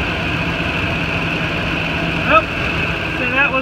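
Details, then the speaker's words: 2008 Ford F-250 at idle after replacing a bad, grinding serpentine belt tensioner: steady, even low rumble with no growl or squeal from the belt drive, just a few chirps; normal idle after repair. "I don't hear the growling noise that I heard the warning and seconds just motor well this is nonsense [Music] look good running good"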